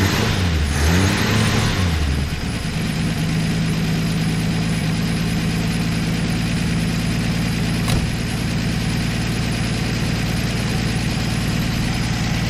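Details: 1964 Plymouth Belvedere slant six, three-on-the-tree, sat about 20 years, new coil wire, running on old bad gas: brief crank and catch, then a steady, even idle with no misses or knocks, not smoking much; normal idle.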